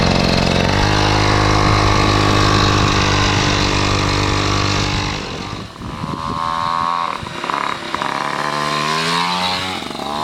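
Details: Piaggio Ciao moped, otherwise stock, with Polini Evolution, 75cc Pinasco cylinder and 19mm carburettor, on a test ride: a high steady two-stroke buzz, then the revs flare and wander without pulling harder; the drive belt is slipping.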